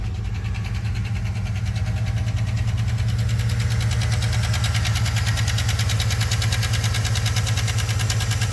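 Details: 2013 Chevy Suburban at idle, also misfiring on a cylinder despite owner-replaced spark plug, coil and injector: rapid light ticking, about four per second, over a deep idle rumble; lifter noise caused by low oil pressure.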